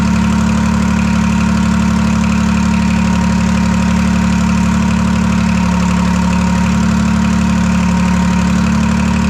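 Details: Detroit 3-53 diesel after 25 years idle; reversed camshaft corrected, no exhaust fitted. Loud, even drone at a steady idle with a regular beat and no knocking or stumbling. Healthy.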